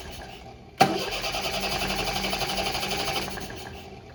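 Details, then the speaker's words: 1973 MGB sitting 20 years, crank no start: starter spins steadily but engine never catches from lost spark; distributor side wire found disconnected. "okay so we lost Spark and I'm looking down here our connections on the coil are both down there positive and negative"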